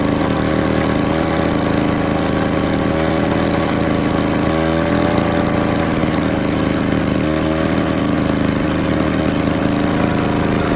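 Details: Classic Victa 18 two-stroke lawn mower, first start after purchase, primed, throttle about half, fuel tap leaking: crisp buzzy note at steady fast even speed, no sputtering; normal running, started on second pull.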